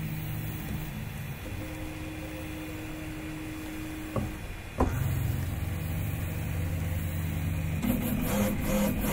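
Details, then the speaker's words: Prusa i3 MK3 3D printer on b143 firmware with TMC2130 drivers, axis deliberately jammed to test skipped-step detection: motor whine broken by sharp clicks and jumps that sound like a stepper skipping steps, yet the firmware did not detect it. "I said that that clicking noise sounded like it was skipping to me but I mean it didn't want to detect it so"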